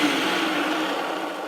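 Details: Hoover Junior U1012 vacuum after refurb with suppressor removed and empty suppressor casing refitted to restore screw spacing: smooth, even high motor whir with no rubbing, ticking or rattle, easing slightly on wind-down; runs perfect again.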